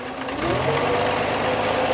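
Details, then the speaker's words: 1949 Armstrong Siddeley Lancaster at idle after valve clearances were adjusted: steady idle with a light quick ticking at the top end, much quieter than the former machine-gun tapping. "used to tap a taper it used to chug a chug didn't it like a machine gun"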